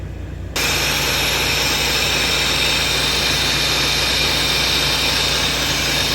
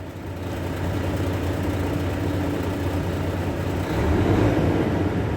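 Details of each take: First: Volvo truck, disconnected at workshop, diesel idling: loud, steady hiss that never lets up, air dryer leaking completely so pressure gauge won't climb past green; owner plans to strip it to check for dirt or failed parts. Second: Volvo truck after air dryer leak repair, started up at idle: steady low diesel drone with compressor thumping evenly, slight lift in load, no leak hiss; pressure building normally toward green.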